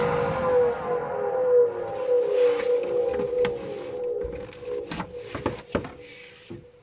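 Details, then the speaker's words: Swegon Casa W80 heat-recovery ventilation unit, heat exchanger removed, testing which fan motor hums: steady mid-pitch motor hum that slides lower as the fan spins down, then fades among clicks; dirt stuck on the impeller blades. "утилизатор утилизатор тепла вот такой вот гул чтобы определить какой будет готов необходимо по очереди отключать могу мадонна начнем слева"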